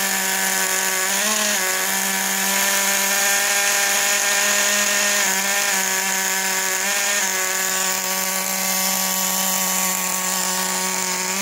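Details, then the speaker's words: Traxxas T-Maxx 2.5 nitro RC engine, first start after three months, richer needle settings: small two-stroke holds a steady high buzz with brief blips, well above normal idle; idle too high, to be richened. "so as you can see it's definitely better it's breaking now at first this would not stop and the thing is the idol is still a little bit too high so we'll turn that rich a little bit"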